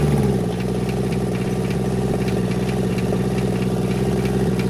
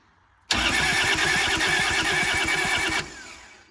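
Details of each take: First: Kubota L285 four-cylinder diesel tractor revived after 8+ years sitting, after bleeding air so all four injectors get solid fuel: steady, even idle clatter at about 200 beats a minute with no misses. Normal idle. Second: Kubota L285 4-cylinder diesel tractor, sat 8+ years, fuel pump on: starter turns it over at a steady laboured three pulses a second but it never fires; air found at the cracked injectors.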